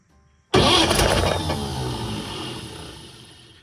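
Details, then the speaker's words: 1950 Chevrolet 4400 dump truck being revived after years of sitting, cold start in neutral with clutch in, gas pumped a couple times, choke on: quick crank catches at once with a loud flare, revs ease smoothly into steady idle; normal cold start. "It's a neutral, clutch is in. I'm gonna romp on the gas a couple times. And start."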